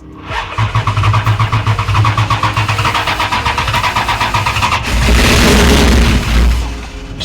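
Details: Mopar 440 big-block V8 in a 1941 Dodge 3-window business coupe hot rod, first start after storage: even cranking at about four turns a second, then it catches and runs up smoothly with no knocks; a sound start.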